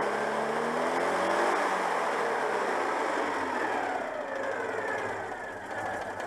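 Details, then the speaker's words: Citroën 2CV twin, worn breaker points after ignition work: wavering, unsteady note that struggles to stabilise at idle though it revs up well; worn points upsetting the idle. "même bon ralenti cas du mal à stabiliser mais bon je vous ai dit le rupteur est un peu hs"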